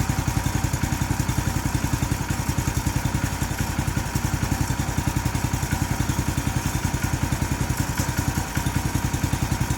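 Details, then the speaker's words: New 212cc Predator engine repowering a homemade log splitter (replacing a 5hp Tecumseh), still cold, on choke: steady, regular single-cylinder thumping, no misses or rattles, warming up. Normal cold idle. "we turn the choke on it may want some choke because it's still cold"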